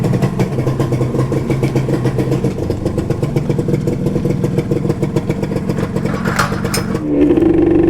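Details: Modenas Dinamik 120 with an RXZ carburetor and new intake hose (an expanded old hose made it die at low speed), tested after a first-try start: steady, even idle pulses, then revs up cleanly without stumbling or dying.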